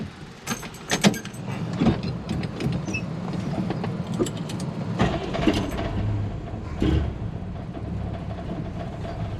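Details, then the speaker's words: Chevy Nova Super Sport, first start of the day on the trailer, after a replacement distributor with vacuum advance. It fires right up into a deep, steady idle with no knocks or misses, with handling noise in the background. Healthy cold start. "looking there just fired right up okay let's get her unloaded without falling off the trailer"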